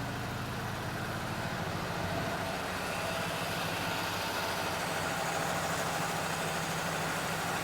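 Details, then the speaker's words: Chevelle barn find abandoned 24 years, first run on a hand-filled carburetor with low oil: even, rumbling V8 idle with no stumbles or knocks; the fuel pump is working and fuel fills the filter. "we got enough but right now we got enough to let her run she idled pretty good well Al be your fuel pump's working"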